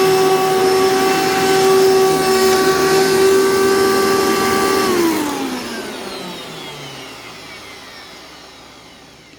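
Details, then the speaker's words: Vacuum run with attachments, no brush roll, after a long period of use with a poor filter: loud, steady high motor whine with heavy rattle, then winds down after switch-off; the fan sounds off balance or faulty, otherwise runs smooth. "yeah so this thing has a has a lot lot of rattle to it and as you could probably hear it has a lot of uh it's it sounds off balance the fan sounds like it's off balance or like there's something wrong with the fan"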